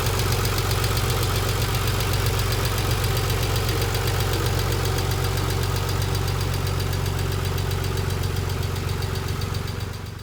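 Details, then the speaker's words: 1990 Nissan 300ZX twin turbo with a used JDM replacement engine, idling with loud rapid metallic ticking from the hydraulic lifters due to low oil pressure; one removed lifter was broken. "i had replaced the engine with a jdm used engine and i ended up with a lot of engine noise here's what it sounds like"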